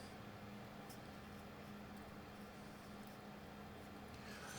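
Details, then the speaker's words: Mullard MAS 1001 (Philips 122 Jubilee 4 variant) valve radio, circa 1950-53, on a dim-bulb tester warming up: quiet constant low hum with faint hiss and amplifier noise, no programme; mains hum, source still unknown. "Now, this should get really hot. And actually, the dim bulb is coming up a bit. We still got our hum and a bit of amplifier noise."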